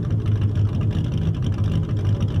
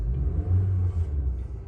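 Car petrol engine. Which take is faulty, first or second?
first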